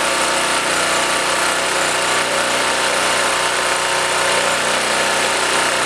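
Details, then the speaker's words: Blue Max Gen4000B generator, sat for a few years, carburetor replaced: small engine runs steady with a raspy buzz only while choked; runs only on choke, lean mixture suspected. "full choke still no go um let's fire it up again but I'm gonna go half choke to start"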